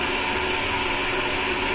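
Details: Sanyo/Shimizu jet pump that wasn't delivering water, after adjusting the valve to stop cavitation: steady even hiss of water flow with smooth motor hum, no crackle or rattle; running cleanly under 20 PSI.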